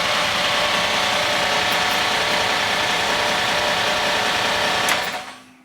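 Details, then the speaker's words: GM small/large block V8 after fitting a Summit Hi-Torque SUM-829105 starter, rotated away from the header, on first start: harsh metallic scraping over the running engine until shutoff; flywheel rubbing the bent flywheel cover, not the pinion. "what's that noise though I think it might be the flywheel hitting that uh cover"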